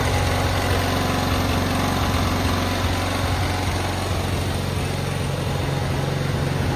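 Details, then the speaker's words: Cub Cadet 682 garden tractor with Kohler KT17 twin, first start after storage (mice remnants, solenoid jumped, battery charger on): even, steady lumpy twin-cylinder putter at idle, no misses, knocks or rattles; started right up, runs really well. "Pretty happy with it. It works really well."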